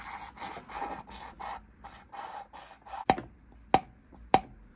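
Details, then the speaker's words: Land Rover Series 2¼ petrol cylinder head on the bench, valve being lapped onto its seat: dry rhythmic rasping strokes, roughly a hundred a minute, as the valve twists; smooth even rasp indicates good valve seating and seal. "so you can hear that noise that it makes that it's making a good seal"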